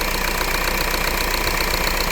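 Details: Renault Laguna 3 2.0 dCi diesel just started after timing chain replacement: loud, steady idle with even rattling clatter and no speed change; engine runs normally after the work.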